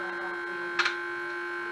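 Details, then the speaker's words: Fake Casio SA-21 keyboard made by Huaxin, opened for circuit bending; only a steady flat electrical buzz with one brief blip instead of notes, from the speaker terminal; a CPU pin appears broken, cause suspected, not confirmed. "Because you hear it make some humming noise."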